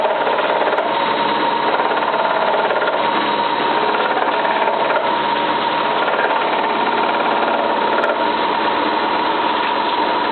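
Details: Cylinda 12002 washing machine on its last spin: fast, steady clattering rattle with constant hum, like something stuck in the drum, yet the inspection pocket held nothing; loud knocking during spin.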